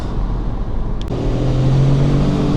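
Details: Car test drive after repair, slow turn: only a smooth, even low rumble with no clunk or knock, so the rear axle/differential now sounds fine, though a turbo noise reportedly remains.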